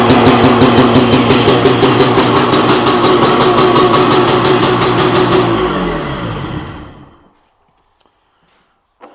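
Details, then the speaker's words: 1995 SeaDoo Speedster two-stroke engine, first start with new cooling-water O-ring, in neutral: crisp even buzz holds steady about five seconds then shuts down cleanly, healthy running, no knocks or misses. "definitely runs guys sounds like it runs pretty healthy too so that's huge progress right there"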